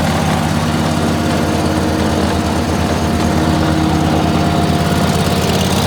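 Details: Dixie Chopper walk-behind zero-turn mower, sat all winter, after clutch repair (one loose wire at clutch connector fixed): smooth regular engine pulses at constant speed, no skipping or rattling; normal running.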